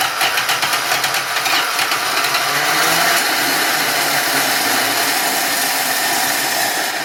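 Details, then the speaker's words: 1966 Dodge Dart 225 slant six, new cheap Autolite-style single-barrel carburettor gushed fuel: steady cranking about four turns a second that never fires; flooded engine, owner suspects sunk float or missing needle or seat. "you got to that choke open flooded yeah it's well it flooded when it flooded and then yeah now the chok's closed flooded clear the flood"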